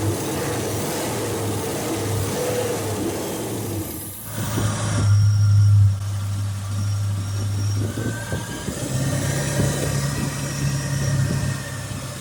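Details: 1993 Land Rover Range Rover Classic under restoration, reassembled, first start attempt: catches and settles into a steady low idle, then a rev swells and falls back smoothly without misfires; engine start and revving.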